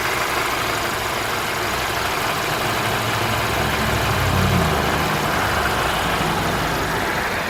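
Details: 2017 Infiniti Q50 2.0t, after repair: steady idle with a constant rough hiss and drone over the engine, no clear rhythm. An unusual engine noise is present at idle, source unclear.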